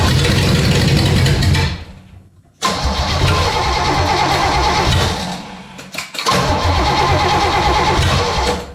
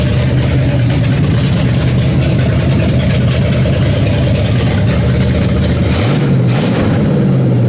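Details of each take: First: V8, down over a year, first cold start: fires and revs then sags and nearly dies twice; choke opening too far, timing slightly advanced (kickback) and backed off. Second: V8, down over a year, first start after quick initial carb and timing tune: deep steady slightly lumpy rumble with one small blip; running fine.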